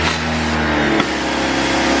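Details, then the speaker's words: Electric pressure washer on first use, water on and trigger pressed: steady motor hum that shifts pitch and settles into a firm, even drone as pressure builds; shuts off automatically when released. Normal pump operation. "And there you go. We have water pressure. If I let go, it's automatically shuts off as well."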